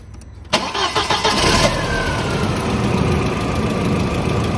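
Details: 1999 VW Passat 1.8T petrol estate: starter cranks continuously with no firing after resoldering relay joints; still no-start, the main relay needs replacing.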